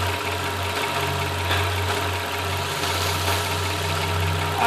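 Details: 2002 Nissan Maxima VQ35 V6 idles with a lumpy, uneven beat; code P0306, cylinder 6 misfire with check engine light on and off; coil swap showed the ignition coil bad.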